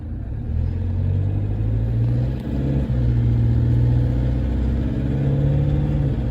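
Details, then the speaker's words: 2014 Toyota Hilux diesel with 47k on it, driven from cold. A heavy rumble carries an uneven rattle about three times a second that a normal cold Hilux wouldn't make. The owner considers it an abnormal rattle and questions whether it needs new injectors. "our Hilux wouldn't do that cold would it so I'm kind of going that's not normal so if it's not normal it's generally more of a what I'd say on the bad side a bad rattle because it's not a normal rattle"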